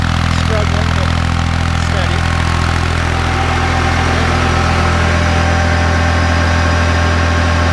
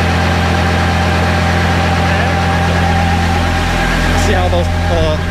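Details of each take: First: Kubota B7100 tractor driving a NorthStar PTO generator at about 4000 W (roughly eight horsepower): steady, even diesel drone at constant speed, no knocks or misses under load; healthy. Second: Kubota B7100 diesel tractor driving a NorthStar PTO generator charging a battery bank: steady drone sags in pitch as the 23-amp charging load comes on; engine speed droops, needs more throttle.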